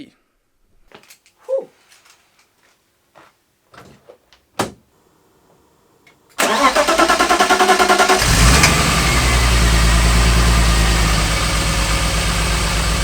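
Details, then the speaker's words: BMW E36 323i M52B25, first start after an M50 intake manifold swap and sitting a while. Short crank, quick catch, then an even, steady idle, not rough, though a bit different than usual, sucking more air; normal idle. "but it is running it is not uh running rough or anything uh it sounded a little bit different than usual"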